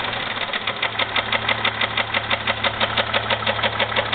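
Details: 2001 Jeep Grand Cherokee 4.0 at idle, oil changed regularly, with a noise that started without warning: sharp, even knocking about three per second over a steady idle. Owner suspects piston slap or rod knock, unconfirmed, before pulling the oil pan.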